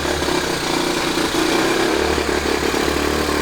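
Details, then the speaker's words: 1970 Honda Trail 90 stored 20 years, first run after carburetor cleaning, half choke, mix of new and 20-year-old gas: small single chugs unevenly at fast idle, no knocking or clatter; rough running, carburetor adjustment or fuel suspected. "Wow. Sounds like the carburetor isn't adjusted just right, or maybe it's the fact that we're running a mix of new and 20-year-old gas."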